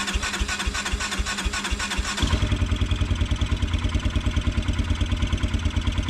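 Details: Kawasaki Brute Force 300 ATV (Kymco engine), hard-starting and backfiring with a very black plug: about two seconds of steady cranking pulses before it catches into a lumpy single-cylinder idle; starts only if cranked right through.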